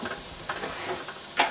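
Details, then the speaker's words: Pressure cooker cooking whole grains on the stove: a steady, strong hiss with small rattling puffs from the valve shows it has come up to full pressure normally. "so right now we can hear the hissing sound maybe you want to come closer so you can hear the hissing sound"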